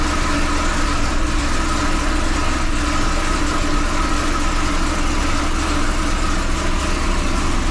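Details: 2005 Chevy Corvette after head gasket replacement, first start, coolant not yet bled, wideband wiring near header: steady, even idle with smooth low rumble, no knocks, misses or ticks; started without major issue.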